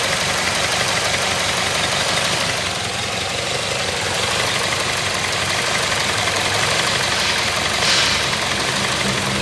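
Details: Ford Escape idling with irregular stumble and uneven ticking beat; misfire on cylinders 1 and 4 traced to intermittent ignition current supply.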